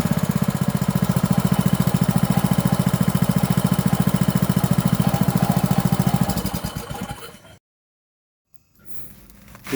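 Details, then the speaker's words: 5.5 hp petrol water-pump engine after carburetor cleaning and cleaning the air-hole rubber, previously stumbling: small single runs a steady, regular beat, nearly two per second, without stumbling until shut off; normal idle. "ครับหลังจากที่เราได้สตาร์ทเครื่องลองดูเห็นความแตกต่างอย่างชัดเจนครับหลังจากที่เราได้ถอดยางตัวรูอากาศออกมาเป่าล้างทำความสะอาดครับก็ทำให้เครื่องเดินเรียบขึ้นนะครับไม่สะดุดเหมือนก่อนที่เราจะได้ถอดออกมาล้างนะครับ"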